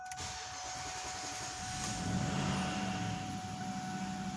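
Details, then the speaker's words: 1999 Ford Taurus SHO 3.4L V8, after replacing the crank sensor; it was a no start showing zero RPM while cranking. Now catches quickly and settles into a steady even idle with a faint whine; fixed. "sure does I love it when a plan"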